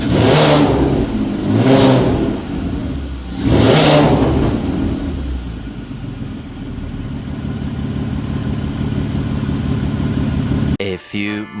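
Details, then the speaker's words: 1991 VW GTI with a freshly swapped 24v VR6, started to show it runs: three quick revs, then settles into a steady, even idle with no knocks or misses; sounds healthy. "I'll uh start it up real quick, just show you that it does in fact run."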